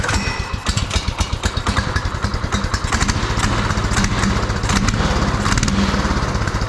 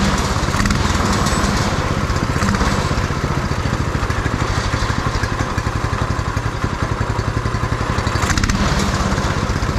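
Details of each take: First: Beater go-kart's small single-cylinder engine on a swapped, still-unadjusted carburetor, just after first start: quick, even thumping that firms up as the idle control is turned up a little; runs steadily. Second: Beater go-kart's small single-cylinder engine on a swapped carburetor, first run with fuel tank not yet bolted in: slow, slightly uneven idle thump with heavy shaking; runs fine and sounds all right, idle just slightly low.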